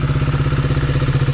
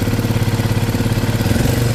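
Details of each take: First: KTM Duke 250 single after engine rebuild and reassembly: crisp, even idle thump with no ticking or rattle; engine now completely silent and in fine condition. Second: KTM Duke 250 single at idle before engine work, bike also smoking: fast busy metallic tapping over the beat; mechanic blames badly worn tappet shims, loose timing chain, plus valve and piston noise.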